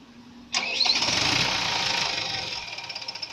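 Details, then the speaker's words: Hollet HTL3510 boom loader cranks, catches with a sudden burst, runs rough, then dies within three seconds; suspected failed coupling. "Okay, so one of guy is go to start the engine. You can hear. You see, engine starting, but again it stop."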